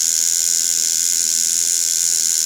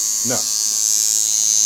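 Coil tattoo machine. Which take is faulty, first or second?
first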